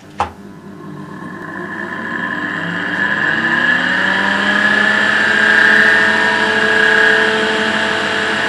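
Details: EBM-Papst 4656 ZWU fan that ran for years without being powered off: rough grinding rumble with a high steady whine that builds over several seconds, from worn-out bearings.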